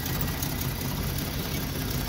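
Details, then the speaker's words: Free Jeep six-cylinder with a new distributor and new plugs: low, rumbling idle with a lumpy, uneven beat, and one cylinder reads very low while the middle reads about 500, so it is still misfiring. "and now it's reading yeah that's very low so it seems like it's still misfiring"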